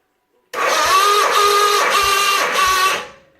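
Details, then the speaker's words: John Deere 317 garden tractor cranking with the battery wired straight to the starter solenoid: starter whines at an even pitch with strong compression thumps about twice a second; voltage drops way down, but it looks like it will crank properly. "she drops way down so partly the battery but looks like it's going to start cranking the right way"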